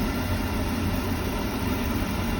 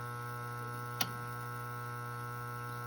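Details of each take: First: Beckett oil burner after fitting a new motor, with the bad start capacitor being the real culprit: the blower runs and turns the oil pump, giving a steady low roar with an even hum and no surging, so the burner is firing normally. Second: Beckett oil burner, no heat: after switching power on, the motor hums steadily with a click but fails to start and then goes into lockout; the start capacitor is suspected.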